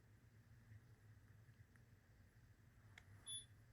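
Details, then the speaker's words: Ademco 6139 keypad on a Vista 10SE panel, data lines to panel but power from a 12 V battery: short high beep repeating in a quiet room, as if lost contact with the panel; owner suspects not connected, cause unconfirmed. "Here, it beeped at me again for some reason. What is he doing? Oh, so it's just gonna keep on beeping every single time now? because it's not connected."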